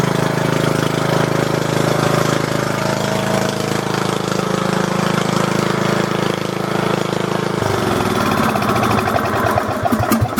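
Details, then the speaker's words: Small single-cylinder lawn mower engine with its muffler removed, just after the carburetor was cleaned and refitted and a horn added: harsh, rapid, very loud barking at about 200 beats a minute, loud enough to drown out the horn. "All the neighbors hate me now. I can't hear you. All the neighbors hate me now. It's so loud."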